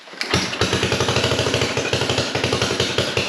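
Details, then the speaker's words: 1957 Gard'n Mast'r tractor with a Briggs and Stratton series 23 9 hp single-cylinder engine, sat for decades, carburetor overflowing fuel after a float fix: chuffing at about seven beats a second, unevenly spaced and inconsistent; uneven running from carburetor flooding. "the fuel problem was not fixed [Music] or maybe it was wasn't really consistent either way I need take it for a drive"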